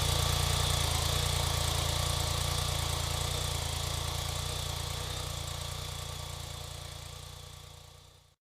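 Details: BMW K-bike horizontal engine after winter storage, restarted by adding 10 cc of oil to each cylinder to restore compression: steady, even idle with a smooth regular beat, no knocks or misses; healthy.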